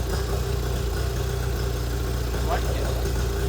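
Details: 25hp Mercury outboard after carb rebuild (junk in carburetor), new fuel pump parts and spark plugs, running on the shop tank: a smooth, steady low-pitched idle with no misses, knocks or surging. It is running healthy.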